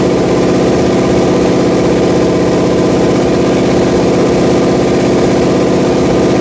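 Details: Rebuilt Pontiac 400 V8 from a 1979 Trans Am on a homemade run stand, second flat tappet cam break-in after the first cam failed: loud, steady fast-idle drone with even firing rhythm, no ticking; running healthy.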